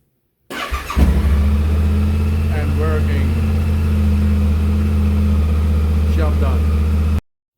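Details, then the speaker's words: Yamaha Tenere 700 after replacing spark plugs with NGK Iridium: starts on the button and settles into a steady, even low idle with no misfire, ticking or knock; sounds good, normal idle. "So we will start it, the engine. Put the key in. Sounds good."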